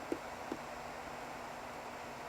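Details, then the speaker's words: Old Apple PowerBook from a for-parts box: trackpad button gives a faint click going down, then a soft second click about a second later when it finally springs back, a sticking mouse button. "The mouse button sticks. I don't know if you can hear it. I click it,"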